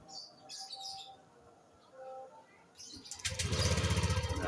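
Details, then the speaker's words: Honda Vario 150 LED (old model) scooter, remote-started by a newly installed plug-and-play alarm without the ignition key: starts quickly into an even, steady idle, no errors or fault signs. "masih hidup ya taman ya tidak ada error ataupun tanda-tanda kerusakan di kode misalnya jadi aman"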